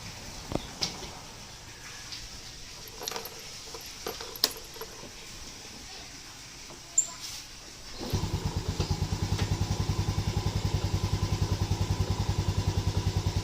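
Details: Yamaha Lagenda 115 FI after the throttle body was serviced and adjusted to fix stalling: the single-cylinder engine starts and settles into a steady, even putter of about three and a half beats a second; normal, healthy idle.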